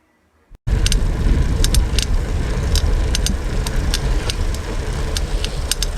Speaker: 4 소리가 경제 좀 불쾌한 소리가 나죠 틱틱 소음도 나는것 같고 뭔가 막 갈리는 소리 울까 나는 것 같기도 하고요